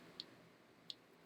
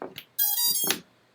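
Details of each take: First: Small 2S brushless FPV quadcopter: two short high chirps about 0.7 s apart as the ESC restarts, losing power through a loose XT60 connection whose squashed female contacts need spreading with a screwdriver. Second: FPV quadcopter powered up after the receiver was fitted: a few short chirps, then a single bright tone of about half a second; the normal power-up signal, with the receiver bound and arming.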